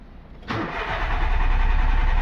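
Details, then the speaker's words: VW Polo petrol engine, ignition on, all lights working: starter cranks at a steady even pace but it never catches; crank no start, later traced to faulty fuel pump wiring. "यहां पे cranking हो रहा है लेकिन चालू नहीं हो रहा है"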